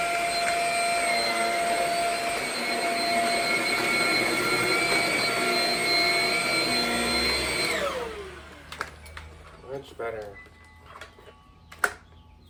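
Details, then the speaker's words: Shark Rocket stick vacuum after service and cleaning: steady high motor whine with strong even airflow and no surging or rattle, then a smooth spin-down; now breathing better, issue fixed, running normally. "can hear that it's breathing better, so that about does it. Seems to have fixed the issue."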